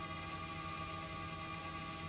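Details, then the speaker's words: Vintage MC9 coach after fixing front suspension air leaks (airbag, block-off plate, fittings, regulator), air system filling toward 120 psi before leakdown test: steady hiss and hum with fine buzzing chatter; check valves vibrating, normal filling. "it's still filling air you hear the check vals vibrating right now but uh soon as we get up to 120 we're going to shut it off"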